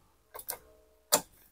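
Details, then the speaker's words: Honda Beat injection scooter with a new battery, warm after about half an hour of riding: two quick clicks, a pause, then one sharp click; the starter clicks but won't crank the engine intermittently. "kita akan coba dulu ni tu enggak mau ngangkat teman-teman ya"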